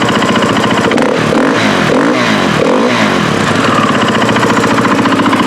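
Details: KTM 450 XC-W that was drowned in water and had an owner-done top end, now pressurizing its cooling system (suspected head gasket leak). Cold start after 3 days: it barks and revs with a rough, rattly edge and some smoke. Abnormal engine noise.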